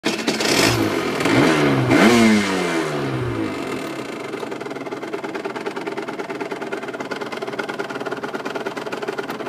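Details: RS 125 two-stroke motorcycle: throttle blips, then idle with a light, fairly regular ticking over the engine buzz; source unknown to owner.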